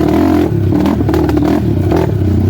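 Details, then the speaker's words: 2007 Suzuki LTR450 quad, ridden before fuel-system cleaning: it idles and revs, but under riding it revs unevenly with irregular popping and banging and stumbles, with no power; misfiring, cause unclear. "You guys hear that popping and banging? It's got like no balls. That's what I'm talking about right there."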